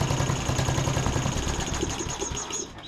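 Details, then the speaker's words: John Deere D110 riding mower, brake set, after carb spray into main jet: small single runs lumpy, beats stumbling and dropping out; misfire possibly due to spark plug only hand-threaded in, plug pulled and gapped. "Might actually try to adjust the carburetor a little bit on this as well, but I want to go ahead and take a peek at the plug on here as well too, because I don't know what that plug looks like. Could be a little bit of our issue."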